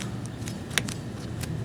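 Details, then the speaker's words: 1995 OEM water pump, 15 years old, for a 4th-gen Nissan Maxima, spun by hand: quiet healthy bearing, only light handling clicks and no grinding, unlike the failed aftermarket pump with play. "nothing that pump is 95 model so 15 years old yeah"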